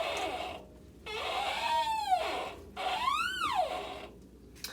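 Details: LG WM3900HWA front-load washer, also run in test mode: loud rising-and-falling squeal as the drum tumbles; cause unknown, owner fears the rear bearing.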